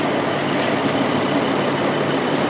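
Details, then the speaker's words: 2009 Jeep Wrangler 3.8 L, P0204 code after new plugs and wires: rough idle with a steady stumble, skipping badly; cylinder 4 dead from an open injector circuit, proven with a scope. "skipping things skipping like a whatever skips this thing's skipping like crazy now ain't that some crap"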